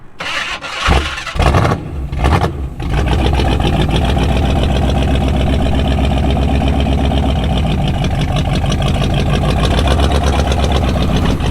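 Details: Jeep Scrambler engine cranks, catches and settles to rough, lumpy idle; teardown found a bad lifter, likely flattened cam lobe, and bent pushrod; listeners guess valve spring; ran poorly after drive home.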